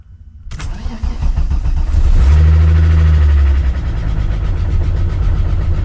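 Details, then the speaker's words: VW Jetta first start after a clutch job: quick crank with the clutch pressed, catches cleanly, revs briefly, settles into a smooth steady idle; fresh lifters tick, expected to fade during warm-up. "he's alive it's normal it's easy I mean it's normal for the lifter to be ticking because they are fresh"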